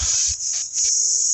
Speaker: air going through it back to the return and when I get this pumped up I start it it runs for a minute and ties